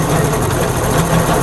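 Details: Honda CD70 motorcycle, engine running with light throttle in third gear: steady rough rubbing, gritty drone over a low hum from damaged gears; first gear clatters, second and fourth quiet.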